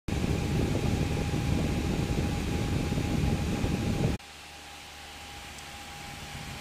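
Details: Graphics card fan: loud steady roaring whoosh with a faint fixed tone that cuts off sharply, sounding like a jet engine; overloud fan, cause unknown.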